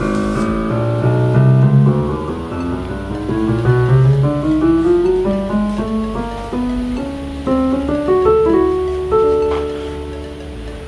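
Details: Korg SP-250 digital piano that powered on with no sound from speakers or outputs, after op-amp replacement on main board: clear even piano notes across keys, no dropouts or crackle; sound output restored.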